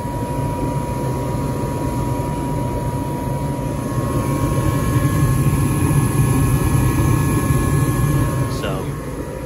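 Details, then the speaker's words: Home furnace running on heat, tested after the thermostat first seemed not to switch heat on; steady low blower rush with faint constant hum, no rattles; furnace working normally. "so you can hear that the furnace fan is still running and it's doing that to you know help uh get all of the other fumes and stuff out the system so the fan is definitely working"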